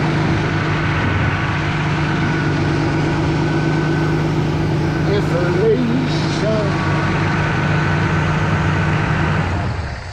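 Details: 2002 Mazda Millennia at steady idle after the radiator fan wiring repair; an even whooshing hum sits over the idle as the fans spin up and run smoothly with no rattle or cutout, so the radiator fans are working normally.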